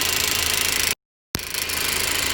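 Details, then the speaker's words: 2015 Chevy 2.5 Ecotec idling after vacuum pump replacement: hissy, uneven note with a faint periodic kick while the service chime keeps sounding; someone suggested catalytic converters, but the cause is unconfirmed. Rough idle with intermittent stumble. "Running smooth and everything, but still getting the service tune, right? And you hear the kick."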